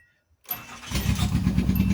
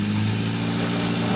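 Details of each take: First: 1988 Nissan Sentra E16i after a new injector was fitted, previously stalling when the gas was released, owner suspecting the throttle position sensor or low fuel; cranks briefly, catches cleanly, then settles into an even, steady idle with no misses; normal start and idle. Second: 1988 Nissan Sentra E16i during starting and running troubleshooting; steady four-cylinder idle hum with slight rise and fall in speed; hunting idle, cause not identified.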